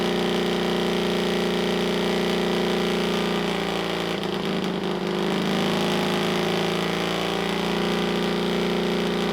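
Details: Pony starting motor of a rare 1954 Caterpillar No. 6 shovel, first run after sitting 15+ years, after cleaning the gummy carburetor float needle: loud, steady, even exhaust beat with a brief dip, burning off crud on top; runs cleanly.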